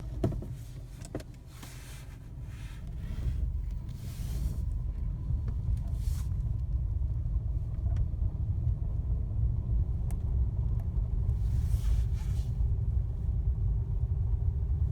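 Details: Fiat Panda on the move: irregular sharp clicks and a faint whir over a heavy low rumble. A gearbox problem is suspected but not confirmed.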